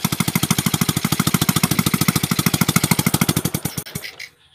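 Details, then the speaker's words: Palm-oil hauling motorcycle, idle for months: loud rapid popping bangs, harsh and stuttering before it dies; owner suspects dirty valves not sealing intake and exhaust, with carburettor adjustment hard to get right. "jadi untuk area klep bisa dikatakan sedikit kotor sehingga penutupan itu antara klep masuk dan klep buangnya mungkin tidak terlalu rapat makanya menyebabkan suara ledakan-ledakan seperti ini"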